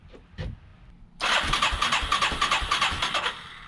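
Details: 1989 Yamaha Moto-4 350 after budget rebuild, first crank: a few seconds of steady, even starter chugging about three turns a second that never catches; crank no start, likely stale gelled fuel in the carburetor.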